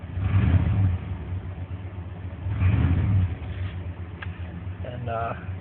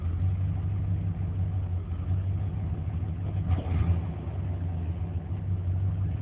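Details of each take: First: 1994 Chevrolet K1500 5.7 TBI, 253k miles (reman long block), after replacing the engine coolant temp sensor that caused hard starts and stalling until warm: two rev swells then smooth steady idle, no sputter; normal idle. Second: 1994 Chevrolet K1500 4x4, 5.7 V8 throttle body injection, 253,000 miles (rebuilt long block ~26,000), warm day; low lumpy idle with uneven beats and sags, worse cold; fixed by replacing engine coolant temperature sensor by thermostat housing.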